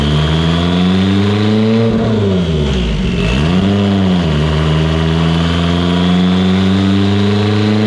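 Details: Evo 8 on dyno, built 2.0, GTX3584RS, Haltech Elite 2500, after swap from GTR coils to Toyota Denso coils and retune: strong steady climbing full-throttle pull at 25 psi on 93 octane, no stutter or breakup.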